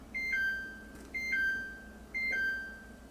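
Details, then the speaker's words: Samsung WaterWall dishwasher showing error code 7C: repeating pairs of high electronic beeps about once a second. The water wall motor or vane has likely fallen out of sync, often because a pot or pan pushed the arm down and it got stuck. "one of the biggest ways that this starts you've actually put a pot in a pan and somehow like the arm has gotten stuck down inside the dishwash washer and it's actually causing the water wall motor to like get off the grid or the the chain"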